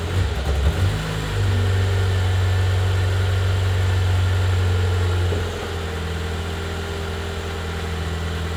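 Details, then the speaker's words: BMW E36 Touring, first start in six months after re-gasketing the engine, no exhaust fitted: loud, raw, blatting idle with a deep bass drone that drops and settles after a few seconds; won't rev as something was left unconnected. "um that was first start after the re-gasketing of the engine it was first start with no exhaust i thought it's gonna be quieter"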